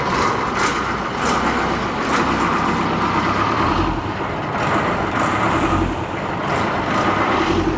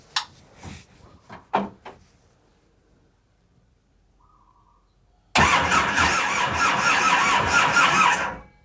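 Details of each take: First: Boat engine on a repeatedly sunk Mekong Delta boat, after repair: steady, even drone under load with no knocks or misses, unchanging pitch; running normally. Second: Boat diesel engine cranks for about three seconds and never fires. The battery is weak and not charged, and fuel has not yet been primed up while air is being bled, so it won't start.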